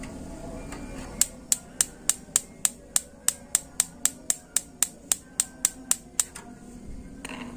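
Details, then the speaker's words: Modena high-pressure membrane-type gas water heater under test: sharp spark clicks about three per second, too slow, no solenoid valve click after; ignition module likely failing, solenoid possibly sticking. "tapi yang jelas dari sini sudah terlihat Ini kemungkinan modul sudah bermasalah yaitu dari intervalnya intervalnya yang kurang cepat sini seperti baterai yang sudah mau mati"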